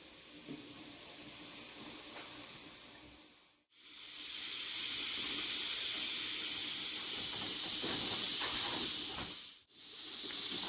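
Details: Stovetop pressure canner canning potatoes, building to about 10 to 13 pounds of pressure: steady high hiss with short breaks as the weight rocks and vents; normal.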